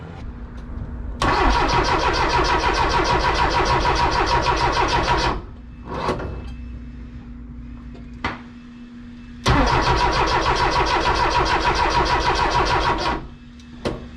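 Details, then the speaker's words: Porsche 914 2.0 race car that sat 10 years, after new plugs and MSD wires: two roughly four-second cranks with even chugging and no firing. The plugs are not fouled and don't smell of fuel; owner suspects a fuel issue, possibly the pump. "so the car is really struggling to start so i am going to check the spark plug to see if they are fouled"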